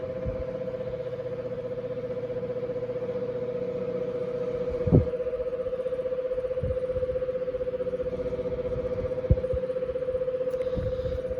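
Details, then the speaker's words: Westinghouse 6-blade oscillating fan motor drones with a strong hum and uneven throbbing rub: badly worn bearing lets the rotor wear against the stator, despite added grease. "i'm only running it for this video but it's wearing it's getting worn on the stator which is not what you want to happen"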